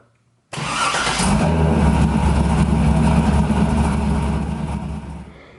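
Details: 2000 Pontiac Trans Am WS6 with BTR Stage 4 cam, long-tube headers and Borla catback, started just after a fuel filter change: catches almost straight away into a smooth, even, low-pitched run with no stumble or misfire; healthy start.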